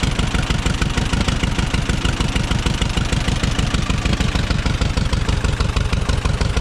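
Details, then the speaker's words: Tractor just won at auction, unloaded from trailer: starts and burbles into steady, even low thumping at about three beats a second, no misses or knocks; healthy idle. "let's see if it starts his burbles wave actually runs pretty good"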